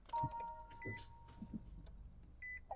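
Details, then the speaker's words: Nissan LEAF powering on after battery reinstall with replaced pre-charge resistor and contactor box: clean electronic chimes and short beeps, no warning tones, green ready with no alerts; normal power-on. "All right, sounds like everything's good. We've got green ready. No alerts present."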